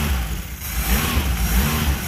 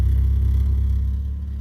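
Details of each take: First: Engine surges and hunts, revs rising and sagging, and needs throttle to keep running, possibly because the choke is stuck on. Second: Big-cam car revived in a mud pit, running smoothly with no smoke: deep, even rumble with steady firing and no misses, about 17 in vacuum and now charging.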